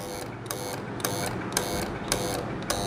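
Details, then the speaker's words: AC voltage relay tested on a series bulb across terminals 2 and 5: the bulb stays off, with crisp single clicks (no chatter), one on each connect and disconnect about every half second. The relay is switching normally. "मतलब अगर 1 number और 5 number पे रखते हैं तो voltage relay से ऐसे chittering की आवाज आती है, और अगर हम 2 नंबर और 5 नंबर पे रखते हैं तो चिटरिंग की नहीं, खटखट की आवाज आती है। ये आवाज जब हम रखेंगे तब आएगी और जब हम हटाएंगे तब आएगी।"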